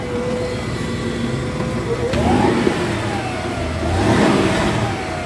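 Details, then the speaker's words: Car stereo with amp, rear speakers and subwoofer, radio off, engine running: a thin whine from the speakers rises and falls with revs. Cause is a ground loop, fixed by grounding the stereo directly to the amp. "yeah I don't know if you can hear that hum yeah goes up and down with as I'm president grab the engine yeah that's annoying"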